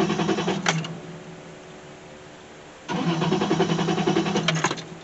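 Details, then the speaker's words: 2002 Toyota 4Runner towed in, owner claims it needs a fuel pump, no check engine light: steady starter cranking, pauses, cranks again, never catches; crank no start, fuel relay, fuse and pressure to be checked. "all right this was brought in by a tow truck and according to the the owner of this vehicle it needs a fuel pump all right no check engine light and it's a crank no start"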